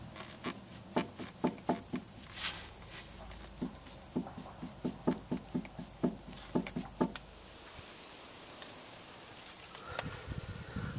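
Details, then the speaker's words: Vehicle on jack, wheel off, tie rod end lifted by hand: sharp dry clicks about two a second from play in a worn tie rod end, later replaced. "what I was trying to show and I wasn't talking so that hopefully the viewer could uh hear the noise was that as I lifted the tie rod end up"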